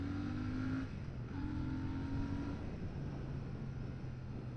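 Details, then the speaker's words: Royal Enfield Shotgun 650 on a first ride at road speed: a thin, steady whistle from the engine comes and goes over the twin's drone. The source is unknown; a second rider also noticed it. "there it was again that little whistling from the engine I don't know if you guys can hear that but there is a little bit of a whistling I'm not sure what that's about"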